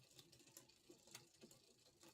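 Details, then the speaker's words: Hybrid bike with a Shimano 105 rear derailleur, about gear 9 of 10, being pedalled: light, sharp ticks about twice a second as the chain rubs the next sprocket. The barrel adjuster was turned too far clockwise, leaving the new gear cable slack. "If we go too clockwise, then it will start making that noise because it's trying to go to the other sprocket."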